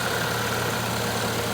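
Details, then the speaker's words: 2012 Chevy Captiva 2.4L Ecotec at idle with AC running, after refitting cleaned original GM VVT solenoids (aftermarket ones ran worse) and synthetic 5W30 filled near 5 quarts; smooth, even low hum, no ticking or rattle, noticeably quieter; normal idle. "And like everything else, it's not a perfect engine, but you can hear, definitely quieted down. This is with the AC running, so I'm very"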